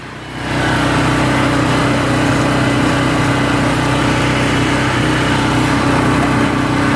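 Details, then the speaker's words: PowerSmart PS44 3000W generator that sat unused since 2017, on full choke with the tank raised for fuel feed: settles into a steady, slightly uneven run that holds only on full choke; owner suspects a fuel problem. "Full choke. Okay. It's probably just a fuel thing. It's just a fuel thing."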